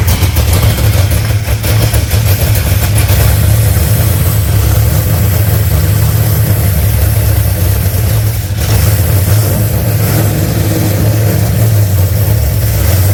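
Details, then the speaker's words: Holden HZ LS V8 swap with LS3 injectors, now on the standard ECU (VATS removed) after suspected wrong fueling: deep burble at fairly steady idle with throttle blips; runs cleanly, needs a little tuning. "need a little bit bit of tune in but at least it's running"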